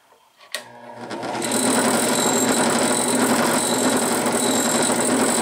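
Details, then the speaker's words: Harbor Freight Central Machinery five-speed 8-inch benchtop drill press on the high-speed pulley, about 3,000 rpm, not bolted down: steady buzzing run with a coarse, gritty edge and some vibration, possibly worn or poor bearings; unconfirmed. "a little bit of vibration that is not bolted down to the table and this one probably has a little bit too"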